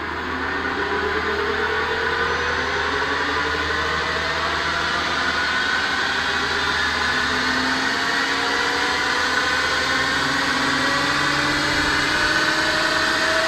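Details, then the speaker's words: Webb Wahcheon lathe run off a VFD (rotary phase converter suspected faulty), default 20-second ramp to 1800 rpm at 60 Hz: clean electric whine climbing slowly and evenly, no knocks or grinding; normal motor spin-up. "get taken off so I mean that's taking the full timeframe but there it is 1800 rpm"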